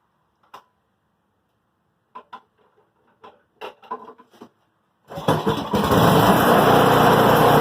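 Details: Craftsman 26-inch two-stage snow blower (MTD, model 31AS6DTF799) fired up after auger cable replacement: a few handling clatters, then the engine catches and settles into a steady, even run; it sounds healthy.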